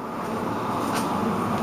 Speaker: let's go turn on the blower i mean you know we've checked the whole thing and it's good to go right sounds good so far